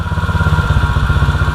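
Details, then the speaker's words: 2016 Tao Tao 110cc pit bike after top end rebuild; carb cleaner sprayed at head gasket, which previously raised idle, now no change: steady, even single-cylinder putter with no hunting or clatter; clean, stable idle, leak fixed. "Man, I don't see anything idling up right now. Nice, good seal."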